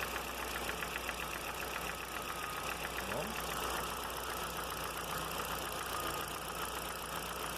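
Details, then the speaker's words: Audi A3 20-valve engine at steady idle: light rapid ticking from the top of the engine, getting louder; owner suspects hydraulic lifters, would replace all 20, and will first test oil pump pressure. "Esse barulho é aqui na parte de cima, aqui assim. Provavelmente, creio eu que seja o tucho."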